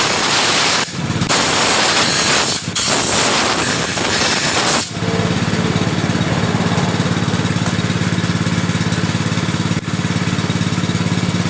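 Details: Yamaha Mio Sporty scooter that died suddenly while riding; new spark plug, compression, ignition and fuel all checked normal. Loud, ragged, harsh engine noise pulsing unevenly about three or four times a second, matching a cam timing chain that has jumped teeth.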